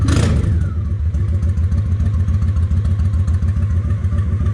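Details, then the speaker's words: Honda 750 ACE Deluxe twin after refitting the air filter, idle raised slightly: low, even thump about three and a half beats per second, steady without stumbling; idle close, not exact. "Okay, that sounds pretty close. It's not exact, but I'll worry about getting exact later."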